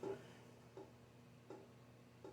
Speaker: oh that's my fan if y'all hear that knocking that's my fan is I guess off balance up front or up there or some I I don't know